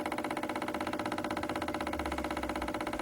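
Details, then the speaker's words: 2012 Chevrolet Spin, engine off, canister purge solenoid driven by scanner actuator test: crisp, even ticking about four times a second, the same knock heard inside the car, stopping when its connector is unplugged. Purge solenoid clicking. "Esse barulho aí que a gente tá ouvindo lá dentro do carro."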